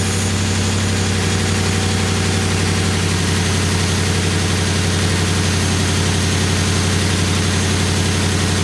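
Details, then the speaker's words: 2019 Ram 5.7 that would not start after the tank ran empty and was found to have sugar in the fuel; after refilling and restoring fuel pressure, it idles evenly with a smooth low rumble and no misses or knocks. Normal idle. "So you can see we are running, we have fuel pressure."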